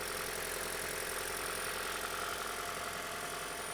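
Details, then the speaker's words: 2011 Toyota Prius running rough with a strong raw-fuel smell and a stored cylinder 1 misfire code; the idle is uneven, with a recurring stumble about twice a second. Cylinder 1 misfire. "So scanned it. We've got a cylinder 1 misfire."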